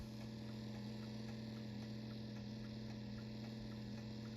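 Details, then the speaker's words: GE Tela-Alarm Jr. Telechron rotor, out of its case on wood and still taking on oil after a frozen rotor repair. It hums steadily with a faint rough grinding edge; owner suspects vibration against the wood. Source unconfirmed. "It seems to be constantly taking on more and more oil, so that's good. Not sure why it's making grinding sounds."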